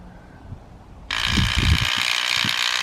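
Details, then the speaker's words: 1986 Chevrolet C30 driver's rear door window motor, removed and bench-powered at 12 V: a high-pitched whirring that starts abruptly and runs freely, but the output gear isn't spinning, so the gear is stripped; in the door the window only clicked. "see that you can hear the motor turning kindness but that gear ain't spinning"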